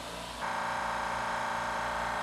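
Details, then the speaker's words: California Air Tools 2 HP ultra-quiet compressor starting up, unloader valve leaking briefly until tank builds pressure: kicks on after a moment of quiet and settles into a steady, even hum; normal start-up. "now when you switch this one on the unloader valve leaks for a while but you can speed up the process of it closing by plugging it for a moment letting the tank build pressure"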